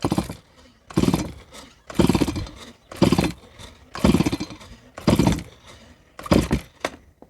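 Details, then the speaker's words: Stihl MS170 chainsaw, made March 2008, never serviced, after cleaning a clogged spark arrestor screen: about seven strong even pull-over bursts with firm chuffs during a compression check; compression good and consistent, piston clean with some top carbon. "I don't think compression will be an issue, but let's check it out anyway."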